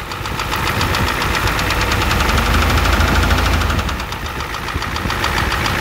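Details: 1988 Ford F250 7.3L IDI diesel at idle: loud even knock about three and a half per second over the rumble, source not pinned down; also high pressure fuel line leak, white/gray exhaust smoke, smoke from oil dipstick, oil in add zone.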